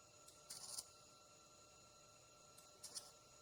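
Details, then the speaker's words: MIG welding trailer main frame repair, 3/16in wall to 1/8in bottom wall: quiet hiss broken by harsh spitting, popping crackle as the arc sputters; welder suspects insufficient voltage for 3/16in, thick paint, poor prep or lack of ground. "I can't tell what is going on there? seems like I didn't prep it enough I'm going to go get the grinder I'm going to grind it something ain't right its spitting do you hear it arcing out and stuff?"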